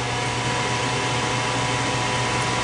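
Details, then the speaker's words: Short-cycling furnace with a suspected dirty flame sensor, cover removed: at the call for heat the inducer fan starts first, before the left-side hot surface igniter glows, with a steady, even whoosh and constant low hum; it runs normally. "When you turn on the heat, you're gonna have a fan that turns on first."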